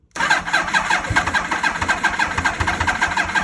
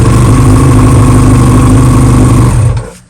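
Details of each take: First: 2000 Yamaha R1 (5JJ), newly acquired, borrowed battery, choke on: two bursts of fast uneven cranking about four seconds each, never catches; owner suspects the carbs need cleaning. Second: 2000 Yamaha R1 (5JJ) hot restart: steady, even idle with smooth low throb, no knocks or misses, then shut off; starts right back up, indicating no cylinder liner issues, normal idle.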